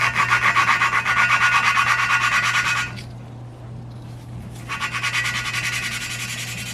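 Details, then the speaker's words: E36 cylinder head valve lapping by hand with gritty grinding compound on an intake valve: rhythmic gritty rasp, back and forth about three strokes a second over a low hum, expected to smooth out; normal lapping sound. "So on the valve goes where the valve lives, a mini plunger. Alright, and you're gonna hear the grittiness and you'll hear it like smooth out."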